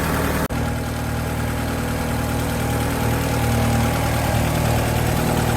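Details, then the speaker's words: Japanese-import Alfa Romeo 145 Cloverleaf, nearly 25 years old, left idling to warm up and check the cooling system, thermostat not yet open: smooth even idle, steady low hum, no knocks or ticks; engine healthy. "So let's warm the engine up a little bit more and see how much this changes. So let's leave this to warm up and see if we can see any faults with the cooling system with it."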